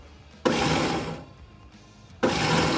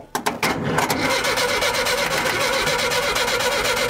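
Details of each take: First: 1975 VW Shorty bus, sat over 20 years: starter jumped directly across the solenoid gives two short bursts of high free-spinning whir with no engine turnover; starter spinning but not engaging flywheel, wiring issue suspected. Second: 1975 VW Shorty bus, out of gear, after starter issue fixed: a few clunks then brisk, even cranking held to pump oil up; starter healthy, though a wiring fault still remains to chase.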